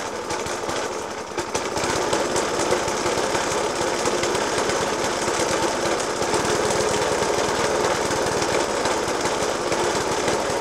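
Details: Suffolk Punch 30S mower, 1991 era, Dellorto FCH 20 carb; after new spark plug, decoke and carb clean, still harsh clattering idle with irregular bangs about three per second; cause not found.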